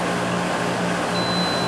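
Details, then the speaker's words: Meter on continuity across a 15 A fuse feeding an AC condenser circuit: a steady high-pitched beep comes in over loud room hum, meaning the fuse is good. "you can hear that and you can see it this is a good fuse it has continuity so we know that we're good there"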